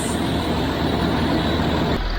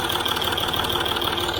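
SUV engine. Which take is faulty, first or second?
second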